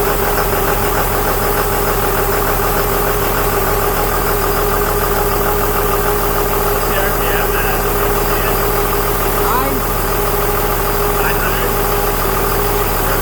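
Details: 2001 Cummins turbo diesel in a 1952 Dodge M37, first start idle: a steady thin whistle over an even idle from the A/C compressor, clutch stuck always on, blowing through open lines; clutch later freed.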